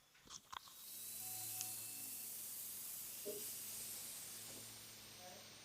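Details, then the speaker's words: Y-plan heating system after 3-port valve replacement, auto air vent opened manually during refill: steady soft airy hiss as trapped air escapes the pipe; keep bleeding until water comes out. "You hear the air coming out. You want all that air to come out until you see water coming out like that."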